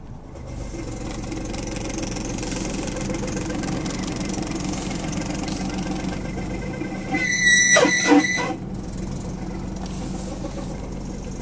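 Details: 2003 Lexus GS300 at idle: engine idles steadily, then a brief high chirping squeal like a slipping belt but reportedly not the belt; the tensioner pulley bearing was already replaced, and the cause is still unknown.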